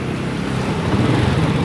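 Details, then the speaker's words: 1997 Honda Astrea Grand that wouldn't shut off with key off, after refitting the CDI with an added relay: small single idles evenly with some wind hiss, no misses; runs normally and now switches off. "Motor sudah hidup ya, normal."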